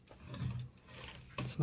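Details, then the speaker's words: Toshiba BW-3112 Japanese kanji typewriter after reinstalling type bars and cleaning: light, even sliding with soft clicks as the character selector moves, no catching or drag; earlier excess friction is gone and selection is now smooth. "now you can nice and smoothly select whatever uh yeah the point said like earlier there was way too much friction for you to be able to easily slew to a single character"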